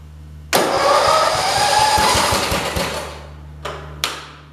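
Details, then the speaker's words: 1968 112 tractor with a newly installed starter button, because the key switch won't start it: starter spins the engine in quick, steady pulses, it catches briefly, then dies with a couple of short blips; starter working properly. "you guys ready to go on in and see if this thing will run"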